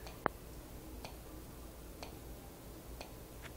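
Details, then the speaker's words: System Sensor SpectrAlert Advance high-candela strobe in a quiet room, mic brought close: faint sharp tick and high-pitched buzz with every flash, about once a second; normal strobe flash click. "i'll bring you closer to the alarm and you'll hear it clicking and a high pitch noise buzzing with every strobe flash"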